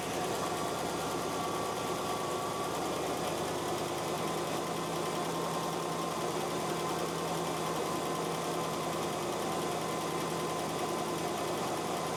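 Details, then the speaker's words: First run of a freshly reinstalled engine and transmission in a drag car, with paint burning off: a smooth, even idle with a soft, steady hum. The former lifter tick is gone and the valvetrain is quiet. "Okay, it's a success. It runs. That's all the paint burning off. >> Yes. Score. And it's silent. No more lifter tick."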